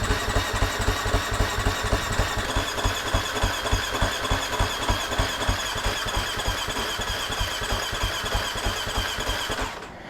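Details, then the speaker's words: Husqvarna FC250 after a new fuel pump and new plug, full tank: steady cranking with faint uneven pops but no catch, still priming the pump and throttle body. Fuel is reaching it; clogged injectors possible. "all right well I heard it trying to pop off so we know fuel is getting it you never you never know maybe the fuel injectors are clogged at this point"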